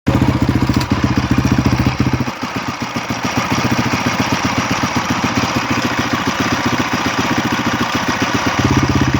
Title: honda crf250x engine strange noise.